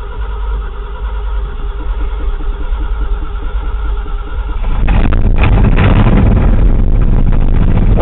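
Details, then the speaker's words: 1979 Ford F-250 4WD, Edelbrock four-barrel carb, cold start at about 50°F after sitting 3 weeks, pumped gas and choke: slow, uneven chugging before it catches and roars up; hard cold start, owner suspects flooding or not enough fuel. "It's about 50 degrees Fahrenheit outside, so, and it hasn't run in about 3 weeks, so a little pump of the gas, choke. Maybe it's flooded."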